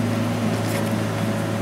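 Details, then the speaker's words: Workshop heater vented through the siding, running before reaching full temperature: steady even burner roar with a low hum, no pulsing, popping or sputter; running normally. "seems to be running pretty good there so but i'll let her come up to temp maybe i'll even turn it up a little more"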